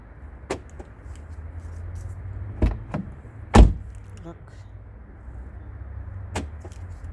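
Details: Peugeot 508 door after replacing the electric door lock mechanism: four crisp single clunks about a second apart over quiet background, no buzzing or grinding; lock actuator working properly, normal lock operation.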